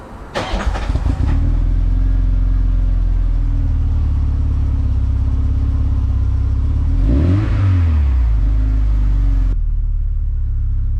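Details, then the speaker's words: VW Mk2 Golf 16V, cold no-start fault traced to temp sender circuit reading 1.4 megohms; with replacement temp sender plugged in, engine catches immediately from cold, settles to smooth even idle with one brief rev; normal cold start and idle. "sounds like a mark 216 valve sweet"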